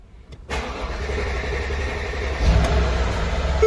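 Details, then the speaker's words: Mercedes-Benz with code P0016 (crankshaft/camshaft position correlation, bank 1 sensor A): starter churns about two seconds before it catches and rises to a steady idle. Extended cranking; owner plans to replace the bank 1 camshaft position sensor. "what i'm going to show you is go to crank the engine it's going to take quite a bit to start it up it doesn't just start right up"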